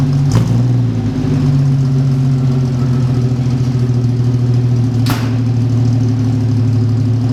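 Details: 1946 Studebaker M5 pickup with AMC 258 inline-six, spring cold start: steady, even low idle with a couple of quick blips, no knocks or misses; runs healthy.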